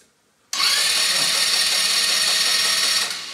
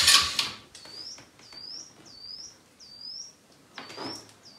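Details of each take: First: Elstar 150cc single-gear 2WD quad bike, long stored, new battery, oil in, neutral, spark plug removed: a quick, even whirring spin for about two and a half seconds with no bind or drag. The starter turns the engine over freely. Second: Elstar 150cc single-gear 2WD quad bike, long stored, battery reconnected and out of gear, bird chirps at first: a steady starter churn at about three pulses a second never catches. Cranks but won't start; owner suspects the spark plug, cause unconfirmed.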